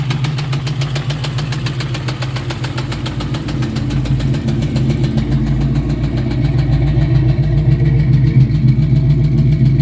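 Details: 1999 Ford Mustang GT 4.6L 2V at a steady low idle, with a fairly regular tapping knock about three or four per second over the exhaust. Owner suspects a rod going out, not confirmed.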